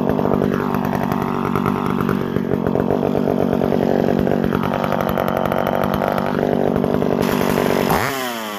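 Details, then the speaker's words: McCulloch SP60 chainsaw after an intake boot replacement, a leaking impulse line fix and a freed pinched fuel line: a crisp two-stroke rasp revving smoothly with clean throttle response and a steady return to idle. It runs exactly as it should, a stout saw. "Overall, I gotta say, that is a mean saw."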